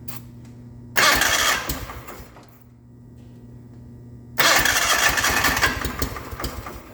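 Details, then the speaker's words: 1989 John Deere 420 garden tractor on an auxiliary fuel tank, run on ether; two short bursts that catch, roar briefly and die, not running on its own fuel; suspects losing suction through an open pump outlet. "ah sucking any fuel yet nope foreign ran out of gas okay so it sounds like i'm losing pressure suction pressure through the pump that exit that's open"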